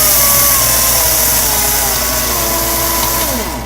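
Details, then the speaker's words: Homemade security-pin lathe from an old 14V cordless drill motor on a 13V-something power supply, speed turned all the way up: steady high whine, even tones, winding down smoothly; normal motor at full speed. "I can try to it all the way up and it's pretty much like a a full battery on the"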